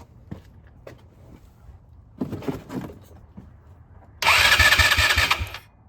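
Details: Neglected 2010 Polaris Ranger RZR 170, sat for years, first crank attempt: scattered taps, then starter spins engine at about four even beats a second without firing; has spark, suspected fuel starvation, carburetor to be cleaned.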